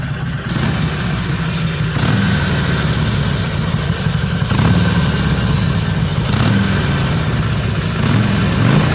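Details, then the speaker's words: Stock 2013 Harley-Davidson Sportster XL883N Iron on its stock muffler, before a slip-on exhaust and header wrap: loping, uneven V-twin idle with light throttle blips and some mechanical chatter; the owner reports a rattle sound, but the idle sounds typical. "just get in the face line on what the harvey sounds and looks like it's a stock 2013 Sportster XL a 2 d 3 n iron call that black color denim"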